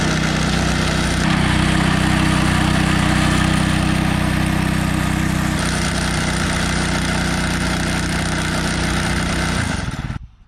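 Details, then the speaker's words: One-man rental post hole auger driven by a lawn-mower-type engine, digging under its own weight: steady engine drone with a rough, regular rattle about three beats a second from the bit hitting rock in the hole; auger hitting rock. "okay there you can hear it kind of rattling there's rock in there and we'll find out after we go a little bit more that Rocky's a big rock or a book Raj typically they get broken up"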